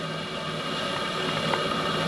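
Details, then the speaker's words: RC steam tug Côte d'Émeraude (Stuart D10): the two gas burners return to full flame as pressure drops slightly, a steady, even purring roar with no sputtering or pulsing; the burners run smoothly. "Vous entendez? Ça ronronne."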